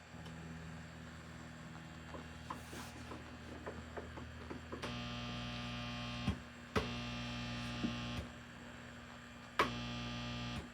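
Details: Mesa Boogie Triple Rectifier Solo guitar amp head, channel-switching fault fixed, noisy controls: steady low 60 Hz hum with buzzy edge, louder with clicks as controls switch; mains hum in the preamp.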